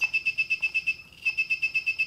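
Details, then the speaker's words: Arduino Uno with RF433 MHz receiver module and buzzer: shrill high beeps repeating about nine times a second, constant, caused by stray 433 MHz radio pollution (neighbours' weather stations, remotes) triggering the buzzer. "donc ça ce sifflement strident qu'on entend en permanence c'est les signes on qu'on voyait très bien à l'oscilloscope c'est la pollution"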